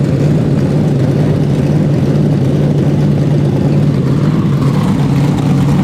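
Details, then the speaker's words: 427ci Dart LS Next 2 race truck V8 on engine run stand, first fire-up on methanol, solid roller cam, twin Precision 82/84 turbos; deep steady burble at even idle, no misses, crisp; fuel pressure only 70 psi base, small fuel hose leak; normal idle. "but that thing's crisp boy i think should make every bit of 650 horse"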